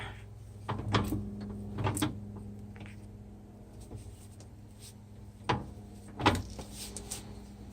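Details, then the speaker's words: Ford 8.8 TracLock limited-slip in a 1998 Jeep Cherokee XJ, wheel turned by hand: about four hollow clunks in eight seconds. Owner suspects the original spider gears (1/8" play), possibly the S-spring; ring gear looks good. Unconfirmed. "here's the actual clutch pack yours do move they make a little bit of the noise but a lot of the noise also looks like the S spring hitting the bottom"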